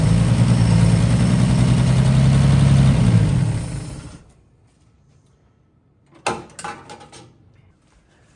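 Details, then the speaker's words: 1955 Chevy being revived, not yet drawing fuel on its own: low, smooth, evenly paced run for about three seconds, then it winds down and stops; sounds healthy while running. "here run for a few minutes she sounds really nice"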